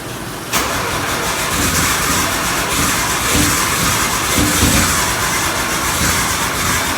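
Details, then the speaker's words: Nissan 240SX with RB engine swap, first start after work: idles with a loud constant airy hiss from a bad vacuum leak at the idle air control valve, which wasn't seating despite a new gasket. "I had a issue with the idle air control valve sensor leaking um I had a bad vacuum leak as you guys heard there and it was coming from the idle air control valve sensor it just wasn't seating properly even though I put a fresh new gasket in"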